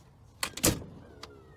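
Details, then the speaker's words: Kwikee RV motorized entry step (A-type gearbox) after repair with 14 Nm motor, retracting as door closes: brief motor whirr with a couple of clean clunks, no grinding; successful repair, normal operation. "and if everything works, it should sound like that. All right, so I think we've got a successful repair here."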